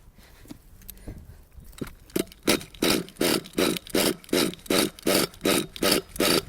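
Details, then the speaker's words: Nitro RC engine, high-speed needle one and a half turns out from base: uneven sputtering pulses about three a second instead of a clean run; mixture still too rich. "ah still too rich it's all right the reason i did this is just to show you"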